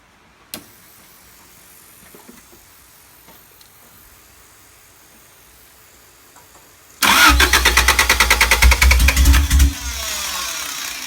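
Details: Honda Civic D15B2 after MPFI conversion, timing belt correct, only ECU code 20 (electrical load): starter cranks several seconds, engine stumbles into very bad misfiring idle and won't accelerate.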